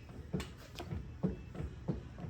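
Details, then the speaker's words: 2021 Polaris Pro XP front wheel, original bearings never replaced, rocked side to side by hand: dull clunks about every half second in a quiet shop, play showing worn, shot front wheel bearings. "how you going to know if you you need to do the wheel bearings is just kind of grabbing and seeing some side to side"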